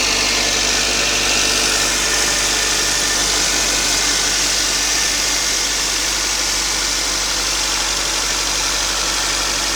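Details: Toyota 5A-FE engine at cold idle: light, fairly regular ticking knock about three per second over bright top-end clatter, starting around 15 seconds in; owner suspects it is under the valve cover, unconfirmed.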